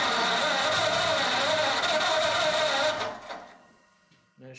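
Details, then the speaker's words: Ford flathead 8BA V8, converted to 12V with new points, condenser, cap, rotor and coils, on its first start: steady cranking for about three seconds that never catches. Fuel starvation is suspected, so the next step is running a fuel line from the fuel pump to a tank. "I think my last thing to do is going to be um run a fuel line all the way from the fuel pump to a gas tank and see what it does"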